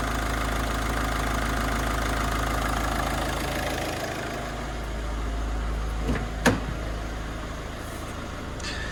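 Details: Ford Focus diesel after cam cover refit: even idle with steady low clatter, some handling noise underneath, no misses or knocks; no leaks, no warning lights, running really nice.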